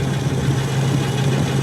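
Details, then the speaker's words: 25-year-old Trane rooftop package unit not cooling in a heat wave: heavy steady low droning hum with a coarse rumble underneath while moving air, neither refrigerant circuit feeling cold; rough abnormal running noise, cause unclear. "Sounds like crap."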